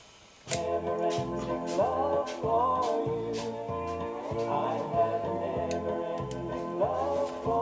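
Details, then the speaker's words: Bush BR 5902B radio cassette player playing music with almost no treble, dull and boxy, badly muffled audio output heard before the tape heads and pinch roller are cleaned. "That sounds muffly as fuck. Sounds muffly as fuck, that, guys. That doesn't sound good."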